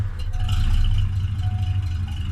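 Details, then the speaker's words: 1980s Ford Mustang with CFI fuel injection, cold winter start with block heater unplugged; idles low, lumpy and wavering near stalling, would likely bog and stall if driven; idles fine when plugged in and warm. "mind you when it's actually plugged in and that it does not idle that way at all it's just nice and warm you can just get in and drive like if i try to drive it it would probably try and bog down and stall on me"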